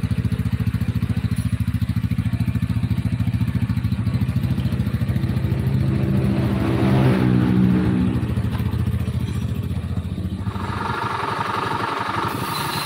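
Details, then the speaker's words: Honda Beat scooter with a rough, rattly clatter at idle that rises with revs, coming from inside the engine, not the CVT or fan; worn crankshaft bearing. "trouble suara dari dalam sini bermasalah Ini masalahnya di lahar setang trouble ada suaranya kayak gitu sebagian orang mengira ini CVT ya"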